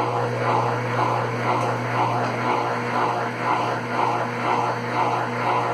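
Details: Consul Facilite CWC10 washing machine after power board replacement fixed a no-power fault, spinning: steady low hum with soft even swish about twice a second, no knocking or grinding; normal spin cycle.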